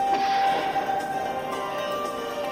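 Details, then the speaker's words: Panasonic 3DO FZ-1 after a recap to fix quiet, crackling audio that returned to normal only when warm; clear chime and startup music with no crackle, hiss or dropouts; repair successful. "See how the sound is. Can this take any longer? Ah, yes. Beautiful."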